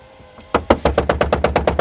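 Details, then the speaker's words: 2000 Toyota Camry CE, passenger-side rear door power window: rapid machine-gun ratcheting clatter, about eight knocks a second, only when raising the glass; lowering sounds okay. Regulator or motor suspected, not yet confirmed. "And if we try to go in the up direction, we hear this kind of a machine gun Kelly sound going on here, right?"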